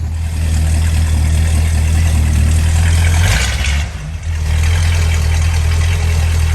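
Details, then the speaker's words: 1968 Dodge Monaco 500 with 440 Magnum big-block V8 on a new TTI exhaust with H-pipe and Dynomax street turbo mufflers: lumpy, even idle with a quick blip that settles straight back. Runs clean and healthy. "All right, we finally got it started. Listen to this thing"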